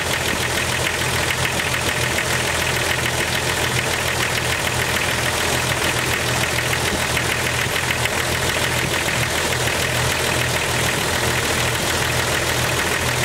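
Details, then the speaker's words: 1998 Jeep XJ at cold idle: a fast, sharp clacking tick over the engine, loudest on one cylinder. The owner suspects a lifter and says that loudest clack persists at operating temperature while the rest fade. "Here that will go away, but that loudest clack will stay on whatever cylinder that is once it gets to operating temperature."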